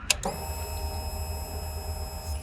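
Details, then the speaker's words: Motorcycle at ignition key-on: short click then a steady, thin high whir holding one pitch as the fuel pump primes, pressurising the fuel system to push fuel to the injectors; normal fuel pump priming. "તો આ અવાજ છે તમારા fuel pump પ્રાઇમિંગની, જે ફ્યુલને તમારા એન્જિનમાં મોકલી રહ્યું છે. જ્યારે તમે ઇગ્નિશન ઓન કરો છો ત્યારે તમારું ફ્યુલ પંપ તમારા ફ્યુલ સિસ્ટમને પ્રેશરાઇઝ કરે છે ઇન્જેક્ટર્સમાં ફ્યુલ પુશ કરવા માટે."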